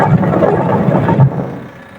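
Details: Haier washing machine making a loud, rough low rumble with a grinding edge from a worn-out gearbox; for the repair the pulley comes off after removing its single nut.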